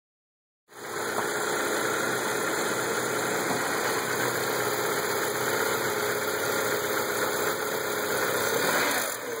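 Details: 1998 Audi A4 Quattro 1.8T turbo petrol with a rattly knock, about four a second, every time it's revved; revs jump erratically, and the oil light came on though oil checked fine; cause unknown.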